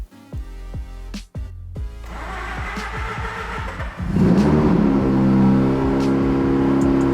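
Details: Mazda RX8 with 13B rotary engine and a bad transmission: over loud music it cranks, catches and revs smoothly to a high steady drone; starts and runs normally, though owner suspects a throwout bearing or broken clutch pressure-plate teeth.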